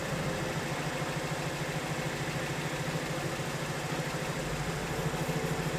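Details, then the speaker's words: 2008 BMW 1 Series N43 petrol, 125 kW, jerky; idle thumps unevenly about three pulses a second; tester shows cylinders 1 and 4 worst and worsening, others roughly in range; misfire rough idle. "I would now like to accelerate and look at the tester for a moment and this is what it looks like. The others were all reasonably within the range, but as soon as it starts to jerk, it's probably not there yet"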